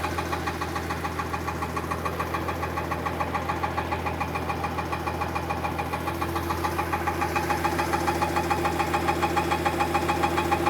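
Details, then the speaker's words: 2015 Mercedes-Benz S65 AMG after engine rebuild: steady rhythmic knocking about three a second when revved, quiet at idle; loosening the starter motor bolts makes it go away, so the new starter is touching and needs its front end modified. "And just like that, that noise is gone. So it looks like it's a starter motor that's touching."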